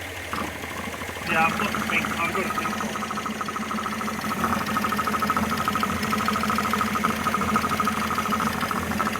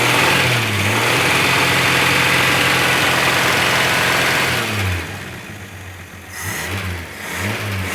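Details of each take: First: Engine just rebuilt with new head gasket, reconditioned head, water pump and hoses, first start: uneven idle with faint irregular ticking over a steady hum, running a bit rough; cause unconfirmed. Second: First start after head gasket, reconditioned head, water pump and hoses replaced: engine catches, revs up and settles to fairly steady idle, no knocks or rattles; running, nothing sounds terrible.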